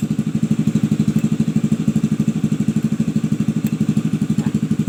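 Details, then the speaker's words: Honda Vario 110 (old model) after the faulty non-original Fukuyama regulator/rectifier was replaced: smooth, even idle with a steady low putter of about three beats a second and no misses or knocks. It runs normally on the new regulator. "ini sudah dialiri setrum ya dari regulator sini ya teman-teman. Dari regulator ini yang saya ganti."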